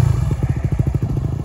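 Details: On/off-road dirt bike idling during a cold-start and winterizing session: even, deep exhaust thumps at about ten a second, steady with no ticking or knocking; a healthy single idling cleanly.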